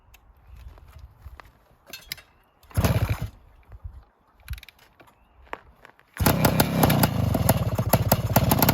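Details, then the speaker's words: 1972 Suzuki TS185 two-stroke after carb tuning, ridden through the gears: it catches and settles into a quick, steady ring-ding idle at about 1800–1900 rpm, adjustable with the idle screw; normal healthy idle. "adling real nice now sitting right at 1800 1900 and I'm able to adjust it with the idle valve"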